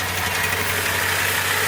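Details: Nissan S14 Kouki just started for the first time after an engine swap (no motor a few days earlier): a steady, even idle with a smooth hum and no knocks or misses, running normally.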